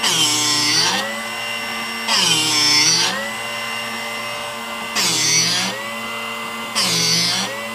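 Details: Drill Doctor sharpener grinding a 1/2-inch cobalt drill bit after adjusting cut depth: steady motor hum with four short, gritty, second-long grinding bursts as the bit is turned. Normal sharpening grind.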